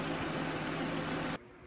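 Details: 2004 Audi A4 1.8T at idle after replacing the faulty MAF sensor, which had read 7–8 g/s instead of about 4.5 g/s and maxed fuel trims; steady, even hum with no stumbles or misses. Coolant temperature sensor still suspect.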